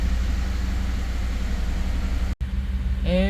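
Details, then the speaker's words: 2011 Ford F-150 5.0 V8 after crank-no-start fixed, possibly extra starter fluid: deep uneven lumpy idle, codes for cylinders five and six; misfire from unplugged injector connector. "the truck is running kind of rough it's misfiring on number five and number six um I have codes for number five number six might be the companion cylinder"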